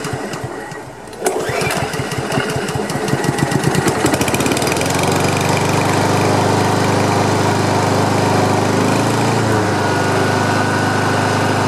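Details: Free Honda HRM215 lawn mower after carburetor cleaning, pull-rope repair and fuel line clearing: cranks, catches after a second, settles into steady even running, no misfire. Some smoke afterward, muffler squeal at shutdown, rear-wheel drive still won't engage.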